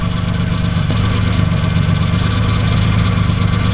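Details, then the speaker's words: Engine at idle during a cylinder-by-cylinder check: low, lumpy, uneven beat; two cylinders suspected dead, cause not confirmed. "It's possible that's the dead cylinder. I'm thinking that's dead. Last one. 2 dead cylinders."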